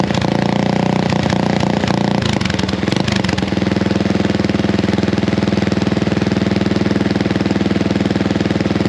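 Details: Honda XL175 single-cylinder dual-sport at idle before the homemade muffler is cut off and redone: loud, raw bark with a fast uneven thump, far too open; muffler doing little to quiet it.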